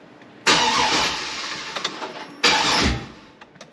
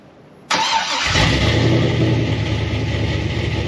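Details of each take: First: 2003 Silverado SS, 6.0 LQ9 V8 just fitted with a BTR Stage 4 cam on a base tune: two even cranking bursts that never fire; the O2 sensors were unplugged and an ignition coil circuit was later found disconnected. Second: Freshly cam-swapped 6.0 V8 Silverado SS (Brian Tooley BTR Stage 4 truck cam) starts quickly into a loud, steady, lumpy, choppy idle with no knocks or misses; O2 sensors reconnected, no check engine light; normal idle.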